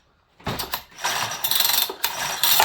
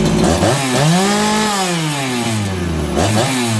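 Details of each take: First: Farmertec 288XP kit chainsaw: quick ratchety recoil pulls spin the engine freely with not one firing pop; no spark, flywheel timing key sheared. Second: Farmertec 288XP kit chainsaw after an ignition repair (sheared timing key, spun flywheel): with the low jet richened slightly from lean, sharp throttle blips fall cleanly back to a steady idle within a second. Crisp, normal idle.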